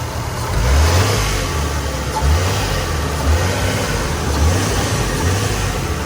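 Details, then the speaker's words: 2000 Nissan Skyline R34 GT non-turbo manual, low kilometres, already warm on a hot day: steady low hum with a few soft rev rises, even and free of knocks or ticks; healthy idle. "Engine runs fine, it started up fine. There's no weird sounds or anything."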